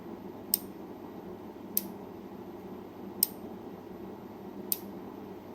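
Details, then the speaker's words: Commercial-equipment relay harness bench-tested on power, with the negative lead switched over and the recorder held close: four crisp, sharp, strong clicks spaced over a second apart as the armature pulls in; healthy relay; normal relay click. "All right, so that is a healthy relay. You can actually feel it clicking over while holding it, and it's a nice, strong, audible sound when that relay clicks over."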